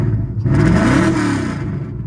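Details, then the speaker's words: VH45 V8-swapped Nissan 240SX (S13) with a new engine wiring harness, recorded on the iPhone internal mic: catches, pitch climbs smoothly as it revs, then a steady, even run with no knocks or misses; healthy. "Sounds freaking good. I love this car. That VH45 is real when it has power."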